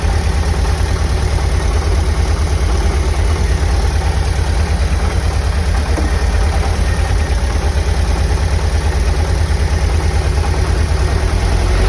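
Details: 1990 VW Vanagon petrol engine at cold idle: heavy, deep rumble with a loud repeating knock; after about 10 minutes warm-up the knocking lessens.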